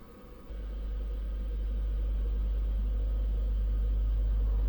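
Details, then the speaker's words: 12V DC car amplifier driven by a frequency generator into a speaker: steady clean hum, no crackling trek-trek distortion; clean test tone. "Kalau dia home berarti normal. Kalau suaranya udah berubah trek trek trek. Kalau udah kayak gitu berarti udah e distortory."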